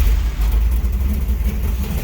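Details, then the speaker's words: "Jezebel" V8 with a new Mallory dual point distributor replacing a BEI unit: it fires right up and settles straight into a deep, steady, even idle with no stumble; normal start. "dual point Mallory is working really good in the sense that this car just fires right up. I mean, it's quite amazing."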